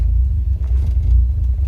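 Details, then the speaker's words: Restored Ford Escort Mk2 with cam and high-stall automatic: deep, loping idle with uneven low thump from the cam; running really rich at idle. "[Music] their needs immature and it's run really rich"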